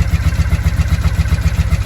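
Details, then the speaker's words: 1983 Honda V45 Sabre VF750S V4, long unused and left outside, on choke: deep, quick, regular thumping at a low idle, slightly uneven as it warms and perks up. "oh there we go now we're perking up she hasn't run in so long poor girl"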